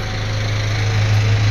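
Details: 2001 Kia Pregio 2.7 diesel after a small O-ring at a flange was replaced, fixing hard starting, shaking and white smoke: steady low hum, even idle rhythm.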